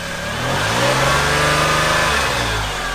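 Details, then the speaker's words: 1988 Toyota pickup after swapping its 3.0 for a 3.4 V6 from a 1996 4Runner; smooth petrol engine blipped lightly then settling, even rise and fall, no knocks or misses, runs and idles fine. "you can hear it it runs and idles just fine it sounds good"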